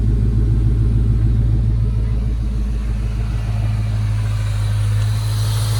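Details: Ford Mustang GT V8 at idle after heater hose work (heater core cracked, coolant had dripped from firewall drain onto exhaust): deep, steady, even rumble, no ticks or misses; oil pressure up, exhaust leaks checked, normal idle.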